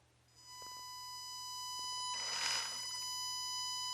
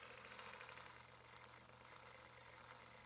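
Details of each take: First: HG P407 Tamiya Bruiser clone RC pickup, Hobbywing 1080 ESC drive frequency set to 1K via program card: steady piercing whine near 1 kHz holding pitch while powered; PWM motor whine, higher 4K/8K settings suggested to remove it. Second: HG P407 Tamiya Bruiser clone RC Toyota pickup with Hobbywing 1080 ESC, wheels up on jack stands, 2WD, 2 low gear: very soft even running, only faint gear noise, no PWM whine; motor quiet.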